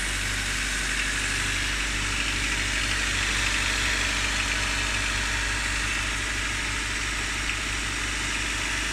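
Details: Honda D15Z6 engine, cold start: steady idle with a faint, regular light tapping of about two or three per second, which nearly disappears after about 30 seconds of running; cold start knock, cause unknown.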